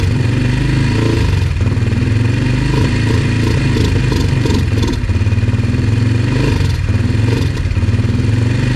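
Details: Yamaha TT-R 125 single on stale, varnish-smelling fuel, started on choke: lumpy unsteady idle that never climbs in revs; won't idle warm, must cool down first; carburetor problems suspected, carb to be taken apart.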